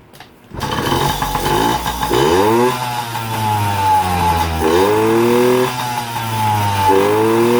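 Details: Yamaha PW50 two-stroke, revived after years sitting, started with the speed-limiter wire disconnected as a free mod for more top speed; fires up and blips repeatedly, pitch rising cleanly and falling back, revving freely and healthy.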